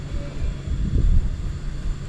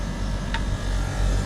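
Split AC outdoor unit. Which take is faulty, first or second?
first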